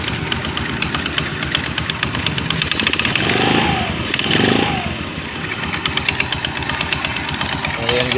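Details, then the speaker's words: Fashion 125 scooter with noisy CVT on first start-up: fluttering, slapping rattle over the idle from a slack, loose drive belt whipping in the case. "yung belt niya masyadong maano magalaw yung belt yan kaya maingay yung ano niya"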